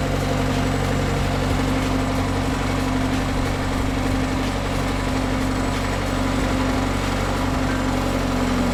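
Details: Bobcat S175 skid steer diesel just after cold start, even steady low idle drone, no knocks or misses; normal healthy cold idle.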